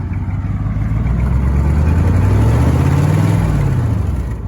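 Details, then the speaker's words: 1984 Chevrolet K10 Silverado Stepside diesel, four-wheel drive, parked rev with no tachometer: deep rumble swells smoothly with throttle and eases back, no knocks or misses; healthy rev. "Why don't you go ahead and rev it?"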